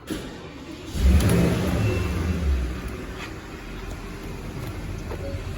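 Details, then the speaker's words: Porsche Cayenne S 4.8 V8 (M48.02), battery under driver's seat, tests good but is the wrong battery for the vehicle, about 30–40% life left: sluggish, labouring crank about four turns a second before the V8 catches, slow cranking from weak battery. "A gente avisou para ele que a bateria essa bateria até na hora da partida aqui a gente percebe que o motor tá virando bem fraco né não vira com aquela velocidade que deveria virar"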